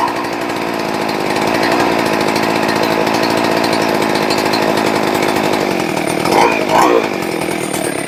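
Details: Rebuilt ported, decked Husqvarna 394XP chainsaw: high, steady two-stroke buzz holding even, then two quick throttle blips rising and dropping cleanly; runs healthy with good throttle response.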